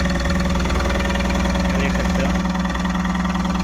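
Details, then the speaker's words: Tata Ace Gold BS-6 diesel after the cut crank sensor wire and socket were repaired: it starts and idles with even clatter, pulses evenly spaced with no stumbles or hunting; P0335 crank sensor fault now in history, engine running normally. "य देख सते गाड़ी हमारी चालू हो गई है"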